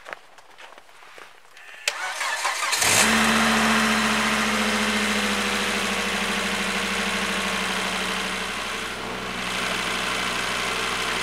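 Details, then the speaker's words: Volvo V70N that wouldn't start with CEM fault code 6C48 (transponder fault) after a new aftermarket key shell. With the old key shell refitted and the battery charged, it gives a brief crank, catches quickly and settles to a steady, even idle. "nu startar den här jättefint igen, den här bilen."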